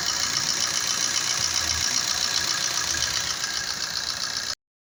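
Steady engine running with a hissy, high-pitched rushing noise over a weak low end; an abnormal noise of unknown cause with the AC on.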